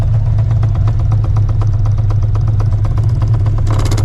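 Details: Procharged, cammed 5.4L 2V New Edge Mustang GT at idle: a loose, irregular knocking of about four a second over the deep rumble. A part is jackhammering against a component.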